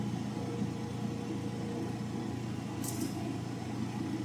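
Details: Old General Electric gas dryer that would not heat, running after a bypass; even drum hum with a brief sharp click as the valve opens and the burner lights, now heating normally.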